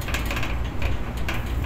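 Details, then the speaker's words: HVAC unit fan with one blade close to flying off: rapid irregular clattering over a low fan drone, loud enough to hear from a room inside the building management system (BMS) area; condenser fan blade rattle. "Buti na lang narinig ko yung kalampag o yung ingay ng blade."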